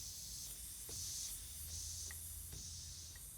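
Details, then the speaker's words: T50-26 brake booster rebuilt elsewhere, on a bench test rig: steady airy high hiss as booster fails to pull enough vacuum, a vacuum leak; hydraulic side appears OK. "right away were you doing it we're not pulling enough vacuum can you hear that vacuum leak there it is right there"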